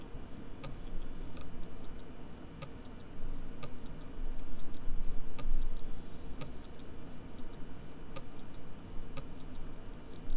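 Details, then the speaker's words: Hard drive recovered after being buried underground for one year in a freezer bag, power-cycled with the microphone moved close: sharp clicks recur over a low hum, a modified click of death; the disc is very unhappy though data copied correctly. "so it appears to be doing a very modified Click Of Death so let me uh me power cycle the disc again so I think I can conclude that the disc is very very unhappy"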